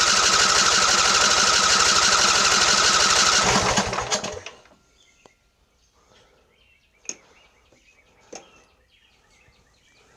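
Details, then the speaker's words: Craftsman LT1000 20 hp riding mower; starter cranks steadily about four beats a second, engine never fires; fuel contaminated with water, draining half gas half water, tank must be removed and cleaned. "it's getting better it's not quite so orange but it's still half gas half water oh that's not good"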